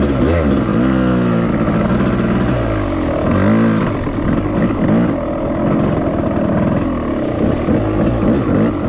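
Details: 1998 Suzuki RMX250 two-stroke after a bad overheat and melted aluminium in the cylinder, reassembled without boring despite pitting: crisp buzz climbing and falling cleanly through repeated revs, no rattle or bogging; running properly.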